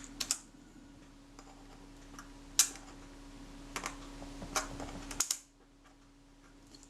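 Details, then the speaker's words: Kodak Retina IIIc shutter during service, tested at 1/8 second: sharp open and close clicks close together, so it seems to run slightly fast. "fast if anything well that's good it's easy to adjust them to go slower"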